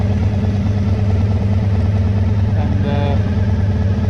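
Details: 1985 VF1000R that sat three to four years with a poor idle. After carb cleaning and balancing within spec with an airflow gauge, the idle is set slightly high. Smooth, even idle with no hunting that revs and returns cleanly: idle issue fixed.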